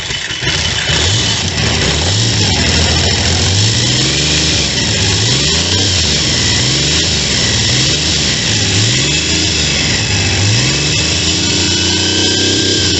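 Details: Triumph T150V triple after top-end rebuild (heads and cylinders off for oil leaks), started second kick: steady idle with repeated clean throttle blips, no knocks or misses; running healthy.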